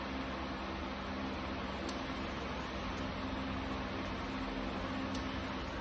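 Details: 1986 Ford F-150, first run after 15 years sitting, new fuel pump: steady even hum, no misses, knocks or rattles; oil pressure up, possibly low on power steering fluid; normal running.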